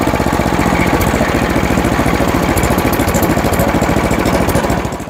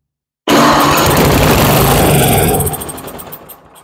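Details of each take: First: Toro Power Max 828LE snow blower, 8 hp Tecumseh engine, long unused and not running, after fitting an aftermarket Amazon replacement carburetor and adjusting the main jet: runs nice and smooth at steady full-throttle RPM, then winds down cleanly at shutdown; normal running. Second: Toro Power Max 828 LE snow blower, 8 hp Tecumseh engine, long unused and not running: with fuel squirted into the cylinder it bursts into a loud ragged run and dies within seconds; engine and spark good, fault in fuel delivery or carburetor.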